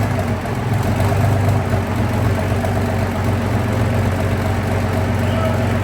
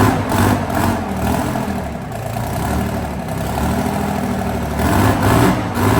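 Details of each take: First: Big diesel engine test-run in workshop on a very cold day: deep steady low rumble with even firing, no knocks or rattles; running smoothly at idle. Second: Abbot heavy diesel engine in the workshop for repair: rough running with an uneven thumping beat about twice a second. Abnormal engine noise; afterwards a part was found snapped off the side of the engine.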